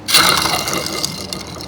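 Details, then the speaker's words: Shifter kart rear axle bearing, spun by hand after cleaning: dry, gritty ratcheting whirr fading as it slows; rough, contaminated axle bearing to be replaced. "that's not good let me do it again yeah that's not good we just got to go ahead this one's almost as bad"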